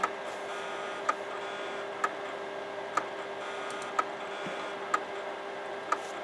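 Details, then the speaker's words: Imation LS-120 SuperDisk drive that can't read a regular floppy: sharp single click about once a second over a faint whine, endless head recalibration like a click of death; heads suspected damaged or extremely dirty. "Well, no, it did eventually manage to get the stats of the disk. But it's recalibrating constantly. This would be equivalent to the iOmega click of death, except in SuperDisk terms."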